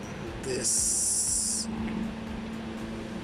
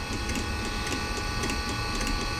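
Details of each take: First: Eberspacher D3L diesel air heater, about 40 years old (believed 1980s, from a Volkswagen Transporter), bench-tested on battery with fuel pump and exhaust fitted; quiet hiss, then it fires up with a loud steady whine and roar, running noticeably noisy. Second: Eberspacher D3L diesel air heater, about 40 years old, reportedly from a Volkswagen Transporter, on bench: fan starting, glow plug relay pulsing (glow plug disconnected), fuel pump ticking about three times a second; normal start-up sequence.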